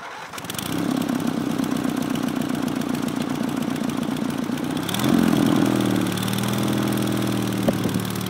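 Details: Racing Panzer small engine after carburetor cleaning and fuel pump install: fires up, holds a steady even putter, picks up cleanly on a blip; now running good.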